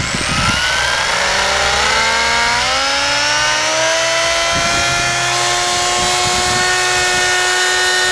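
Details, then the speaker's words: Team Associated Apex RC car in a bearing benchmark, starting cold at 61°F: a piercing whine climbs with throttle past 400 watts, then holds at a loud scream at half throttle. Driveline drag from a vibrating driveshaft. "this car actually when I went to full throttle it actually went in excess of 400 watts plus she backed the throttle off about half way and yeah that thing was screaming"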